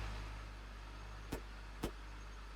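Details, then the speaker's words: 2003 BMW Z4 (E85) idling after repairs for a check engine light, rough idle and an oil filter housing gasket leak, plus new belts/pulley and fresh oil; low, steady, even idle, no leaks, pulleys turning smoothly, no weird sounds; normal idle. "sounds okay let's check for leaks all right so I don't see any leaks those pulley seem to be rotating really nicely no weird sounds so I'm very happy with the way this job went"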